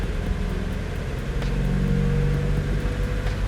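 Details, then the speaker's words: 2001 Mazda Miata LS, freshly rebuilt 6-speed manual transmission, cold start, in neutral with clutch released; even engine drone and smooth driveline hum, no whine, grind or clunk; normal transmission running. "Okay. So that's good, no noises."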